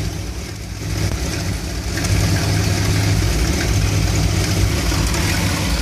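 Warm V8 idle that lopes and stumbles unevenly instead of settling into a steady beat; a rough idle, cause not yet pinned down.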